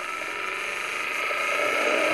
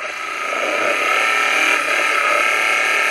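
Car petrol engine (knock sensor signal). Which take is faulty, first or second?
second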